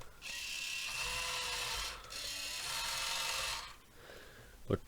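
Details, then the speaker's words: 1:28 scale RC loader (Rui Chang QY2302), new out of damaged packaging: tiny cheap plastic toy motor buzzes high and fast in two bursts with dry ratcheting chatter while steering stays put. Steering gear broken, cause not yet investigated. "clearly the steering on this one is broken anyway so that could be something for us to investigate and see what's wrong"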